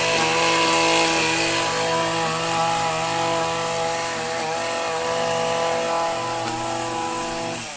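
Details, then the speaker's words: Stihl FS85 two-stroke petrol-mix strimmer, about 15 years old, started on fresh premix after about seven months unused in a log shed: high buzzing holds a steady, even pitch under cutting load, no misfire or stumble; normal running. "so that's it it works that still that's been there for about 15 years"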